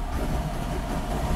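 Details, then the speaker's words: 2005 Chrysler PT Cruiser Turbo with a stall, no-start and PCM communication fault after wiring repair and crank sensor replacement: uneven, heavy chugging with lumpy low thumps, then stalls; rough running before stall. "happy, not happy. And stalls out."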